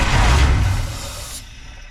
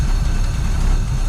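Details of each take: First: 1953 Buick, cranked on its own fuel system; low heavy starter grind in bursts with no firing while gasoline slowly rises through the fuel filter: cranking, no start from fuel starvation. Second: 1953 Buick, not run in 30 years, running on its own fuel supply after fuel system reconnect and tank flush, carburetor untouched; steady deep even idle with no misses, knocks or ticks: normal idle.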